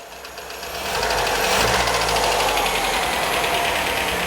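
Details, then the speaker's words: 1977 MGB Roadster engine, warmed up, timed and tuned: it idles fine but rises into a rev with a harsh, clattery, uneven note; owner believes the engine is badly worn. "the engine runs it sounds wonderful but I think it's very very knackered I'll show you what I mean have a listen to this"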